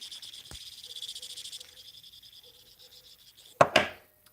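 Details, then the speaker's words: Cub Cadet ST100 acting seized but not seized: dry, raspy chirring as the idler pulley is turned by hand, the main bearing on its shaft is bad; parts to be ordered. "so what's going on guys for those of you just joining in I'm fixing this I believe this idler pul is bad you guys can hear"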